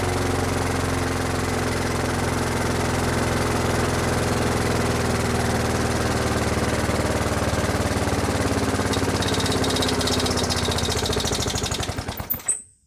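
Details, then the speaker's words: Brute mower with Briggs and Stratton Classic engine, surging, carburetor not the cause: runs hard and steady at high speed, then sags and chokes off abruptly; owner says it's nearly locked up. Engine running rough then stalling. "That doesn't sound good. That does not sound good. Alright, we're going to try this one more time. But I don't have high hopes for this engine. She's pretty much locked up now."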